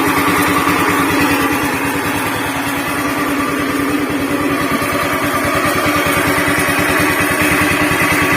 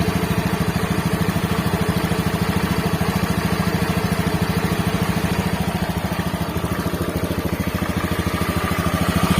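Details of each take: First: Honda Beat FI scooter with rough noise from engine centre: coarse, churning helicopter-like rumble under steady idle beat, before CVT removal and repair; worn crankshaft bearing. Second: Honda Beat FI scooter after repair, previously a rough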